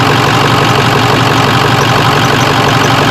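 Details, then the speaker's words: Diesel engine restarted after fuel pressure regulator adjusted from about 71 back to 65–66 psi; steady even idle with smooth clatter, noticeably quieter, no knocks or misses; normal. "And we'll fire her up. Oh, the motor's a lot quieter now, imagine"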